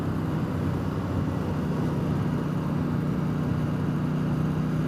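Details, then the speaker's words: Triumph Speedmaster under way on replacement used official Triumph pipes: a steady, even low drone, no popping or crackle, much quieter and smoother with no downshift backfiring, possibly helped by back pressure; normal exhaust note. "Boy, is it ever so much quieter. And no more backfiring on the downshift. A lot smoother."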